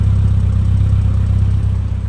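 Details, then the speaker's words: 1997 Rover Mini Cooper 1.3i, fuel-injected Japan-spec, exhaust heard at the rear at idle: deep even burble with steady pulse, no misses, ticks or rattles; very quiet, healthy exhaust. "As you can hear, that thing is very, very quiet."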